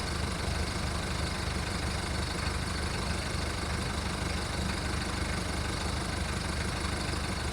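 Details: VW Golf Mk1 1.9 turbo diesel cold start after five months of winter storage: loud clattery diesel idle with a slightly uneven beat, about three and a half a second, running rough while warming up.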